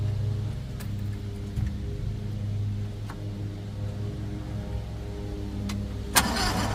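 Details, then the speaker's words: CRT23 Chinese mini skid steer, batteries fully charged: steady low starter drone with a few clicks, turning lazily without picking up speed; slow cranking, owner suspects starter failure, not confirmed. "See, to me, it sounds like the batteries are weak in a way, but with that being said, I know the batteries aren't weak because they're fully charged up."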